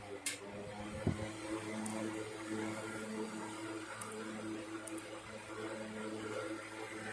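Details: 1960s 16-inch Toastmaster box fan, first start in nearly two years after storage, switched from low to medium; even low hum and steady air whoosh, no rattle or wobble, well balanced with no vibration: normal running.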